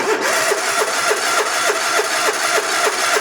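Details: Hustler Raptor zero-turn mower with a Kohler engine, no-start after a bad starter solenoid was bypassed: steady cranking at about 3.5 turns per second, never firing, at full throttle; no spark, traced to an ignition kill wire fault.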